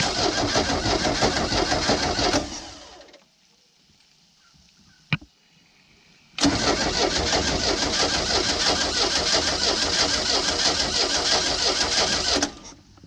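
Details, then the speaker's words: Old sterndrive boat engine, long sitting, water hooked up: even starter churning about three beats a second in two long bursts, never catches; may need fuel priming, owner suspects rusted cap, rotor, points, condenser. "the volts went out looks like the fuel went up a little bit it might just need to prime the fuel okay all right so at this point it's not starting"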